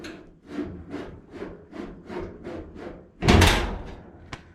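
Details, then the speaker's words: Early Bronco build, driver's side door: rhythmic scraping swishes, then a loud slam. The door edge rubs a fender sitting too high; with the fender off there is no drag, and the kick panel may need to shift. "But without the fender on, the door shuts. There's no right there. Kind of hear the drag."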